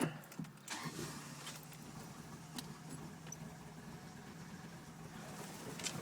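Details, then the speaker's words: Honda B18C1 with 3 bar MAP, 450cc injectors, Holley FPR and chipped ECU, cold start: low, lumpy, uneven idle running very rich with black/whitish smoke, better when warm; the cause was poorly connected MAP sensor wires. "it's blowing out smoke can't really see it but it's like a whitish kind of it looks black though too I don't know but it's running very rich as you can see"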